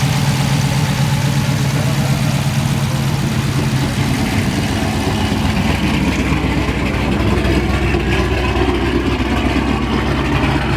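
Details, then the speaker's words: Car at first start-up after a Stage 6 cam install, throttle held until it stabilized and then released: loud, deep, uneven choppy idle at about four lopes a second; normal cam lope idle. "Hold the gas on it until it stabilizes, and then let go of the gas. Oh! Oh! Now we go! Hear the chop!"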